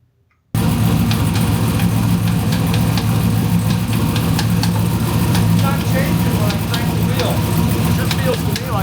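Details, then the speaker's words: 1974 turbo Camaro, idling after a ground was reconnected, with a random tick they doubted was mechanical; steady rumble with sharp uneven ticks about three a second not following engine beat; felt at the pump, suspected broken power steering pump vane after 8,000 rpm two-step launches. "it's power steering pump, man. I can feel it big time right there. It's got to be power steering [Music] pump."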